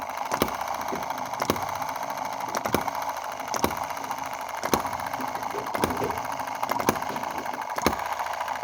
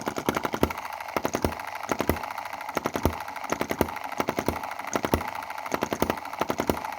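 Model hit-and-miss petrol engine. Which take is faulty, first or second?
second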